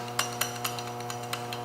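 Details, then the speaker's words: Typical aftermarket short shifter for a Genesis Coupe: sharp irregular metallic clinks as the lever moves, from noisy ball bearings at the shifter base with no dampening, heard when cruising or shifting gears. "This is the sound that you're hearing when you have these shifters on your car, when you're cruising or shifting gears."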